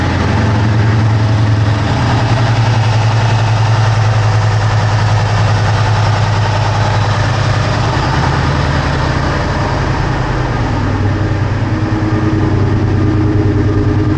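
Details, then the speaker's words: 2003 Ford SVT Cobra V8, first start after valve guide and seal repair with engine removal and partial teardown; cold, rainy day. Deep, steady, even idle with no knocks or ticks; condensation, stuff burning off the headers; motor sounds incredible, whisper quiet. "So far, so good, guys. Motor sounds incredible. You might even say it's whisper quiet."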